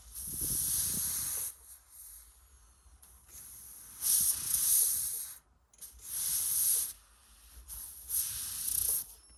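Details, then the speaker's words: AIDA-style DayLite kerosene lantern after final fixes; repeated one-to-two-second airy hisses with quiet gaps as the pressure valve releases air cleanly, working normally. "So yeah, the foot valve is working good. This one's working good."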